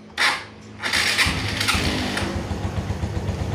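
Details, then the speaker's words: Suzuki Shogun FI (older injected motorbike), morning cold start after ISC idle-control sensor repair for rising-falling idle and MIL 4 blinks: short starter whirr, catches easily, steady even idle without hunting; fixed. "dan ternyata masih mudah untuk hidup dan Langsa mesin itu juga stabil tidak ada naik turun"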